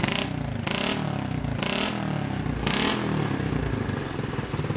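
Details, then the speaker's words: Honda CT70H Trail, sat 40 years in a barn, after new coil, carb overhaul and throttle cable fix; quick crisp, even revs with no misfire or stumble, sounding better; normal revving. "i think that sounds better"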